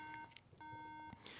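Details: 2012 MacBook Pro booting with the RAM stick in the bottom slot: two steady high-pitched beeps with a short pause, the memory error code; it boots with the stick in the top slot, so the bottom slot is likely bad.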